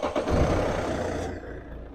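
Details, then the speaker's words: Mercedes W172 with failed electronic steering lock, emergency-started by bridging the starter motor relay with a link wire: short crank, then the engine catches with a roar and settles toward a steady idle; normal start. "Now this is a starter motor relay, so we very carefully push your link wire into that terminal there of the relay and this one here, and now you'll hear the engine start and crank, and then we have to take the link wire out."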